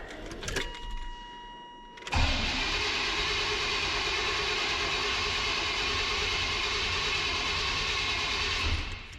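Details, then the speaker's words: 1998 GMC OBS pickup, V6, fresh battery, full tank; key cycled with chimes but no fuel pump hum, then even starter cranking without catching; suspected failed in-tank fuel pump, relay and fuse checked good. "So we got a fresh battery in it. Let's see if this thing will start. We'll cycle the key a few times here, but I can't hear the pump running."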